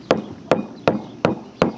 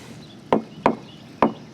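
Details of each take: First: Tool tap test on a sailboat deck around the baby stay fitting during repair: seven even taps each giving the same dull solid thud, no hollow sound; deck solid, no voids. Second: Tool tap test on a sailboat deck at the baby stay fitting, where water leaked in for years: four dull thuds with no hollow ring, described as the expected sound; dull thud on tap test.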